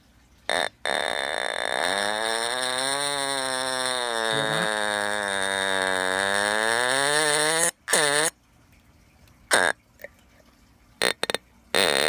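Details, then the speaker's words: Sears "Early One" fire detector on a non-alkaline 9-volt battery when it needs a 9-volt alkaline: instead of a clean shriek the horn gives a wobbling, sagging, fart-like burp in short bursts. Weak, distorted alarm from the wrong battery. "It sounds like a fart or something like that. That's a fail, but at least it doesn't work."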